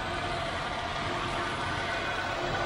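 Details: 2005 Pontiac Grand Am 3400 V6, new battery, rebuilt transmission, new struts: smooth, steady hum with no knocks, ticks or misses; normal, healthy idle.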